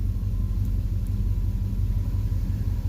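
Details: 2004 Chevrolet Silverado 2500HD 6.0 with a P0300 code: a deep, uneven idle rumble with a faint loping stumble. The injector 6 pressure test showed it is not dropping enough fuel. Misfire from a weak injector; the owner also noted a slight lifter-like tap.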